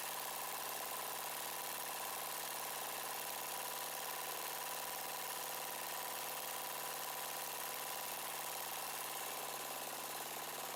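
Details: Yard-sale Murray 42" Wide Body mower engine, choke now closing after a broken plastic nub hitting the air cleaner box was found. Idle speed set near stall and mixture screw turned in until rough. Steady, fairly fast, slightly uneven idle; rough idle during carburetor adjustment.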